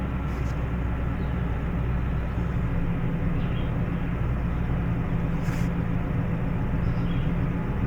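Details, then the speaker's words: Toyota Tundra that stalls and smells rich, at idle with a scan tool connected, no misfires: low, slightly uneven rumble; fuel trims show it trying to lean out. Mass air flow sensor reading far too high caused the rough idle. "Yeah, definitely got a bit of a rumble. Short-term fuel trim, she's trying to lean it out. That air mass meter though, that looks way high."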